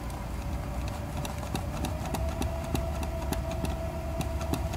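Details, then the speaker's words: Mercedes 500SEL V8 used to test an SL500 E-gas throttle control module, cold engine; steady fast idle around 1000 rpm with faint regular ticking, no throttle response, stuck in limp mode; module clutch circuit failed. "now we have limp mode as it would have been usually found rpms are at the thousand no gas response"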